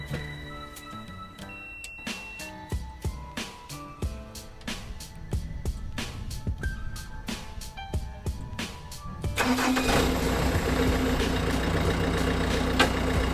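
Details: Bobcat S175 skid steer diesel cold start, being unloaded from a trailer: cranks and catches about nine seconds in, then settles into a steady, even diesel rumble; normal cold start and idle.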